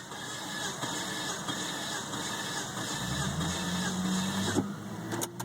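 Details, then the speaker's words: 1998 Volvo V70 base with a suspected burnt valve at cylinder 3, compression test with throttle held open: eight even starter cranks on a weak battery; cylinder 1 reads about 185, healthy. "Number one has about man, I think that's 60, 70, 80, 85, 185, which is good. This car may have hope."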